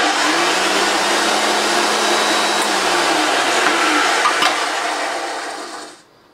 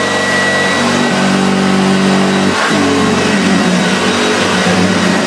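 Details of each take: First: Hoover Junior 1436 Mk1 early plastic-hood vacuum cleaner running; steady high motor roar with a faint dry rough edge, then spinning down; motor bearings suspected slightly dry, not confirmed. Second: Very early, rare Hoover Junior 1436 Mk1 upright vacuum with the first plastic hood, in very good condition: even motor drone that holds its pitch apart from a brief dip as it is moved; runs smooth and healthy.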